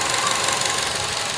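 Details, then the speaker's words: 2004 Acura RSX, noise appearing intermittently after driving a while with no dash warning lights: crisp, fast, even ticking over a quiet idle, heard at the top of the engine. The cause is not yet found. "the noise really sounds like it's coming from there but I don't I don't see nothing I put my ear right next to it and I hear it very uh crisp"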